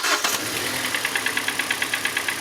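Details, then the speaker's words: 2014 Hyundai Elantra 4-cylinder with individual coils: lumpy, uneven chuffing at idle, about eight pulses a second with a stumbling beat, running on 2 or 3 of 4 cylinders; one cylinder had no spark from a failed ignition coil. "You could tell it was running on 2, maybe 3 out of the 4 cylinders."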